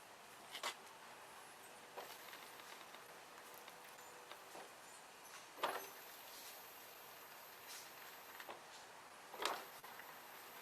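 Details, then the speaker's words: Lawn tractor steering motor on a BTS7960 30 A driver board, driven via the board's test buttons: only brief chain, steering and linkage clunks as it reverses. No motor squeal, unlike the PWM whine heard under code control. "But you don't hear the motor squealing."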